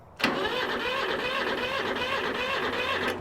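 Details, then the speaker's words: Free 1974 Kubota tractor diesel, cranked by jumping the starter solenoid directly: the starter spins it evenly for about three seconds with no firing. Not locked up and no compression release needed, but no white smoke and no start. "she spins over, it's not locked up. That's a good thing. But see, we got no white smoke coming out the tailpipe back there."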